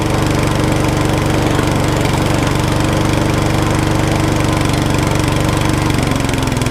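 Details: Trash-picked mower engine, sat about 40 weeks, start attempt on choke after servicing: small single-cylinder firing and running at a fairly steady, slightly uneven beat around three per second; earlier it had no spark, cause otherwise unconfirmed.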